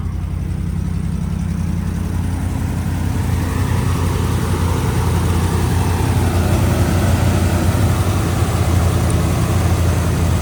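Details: 2011 Ram 1500 5.7 Hemi 4x4 that cranked but wouldn't start for two months despite new plugs and injectors, now running on a temporary fix: deep, even V8 idle, no misses or stumbles, running smoothly.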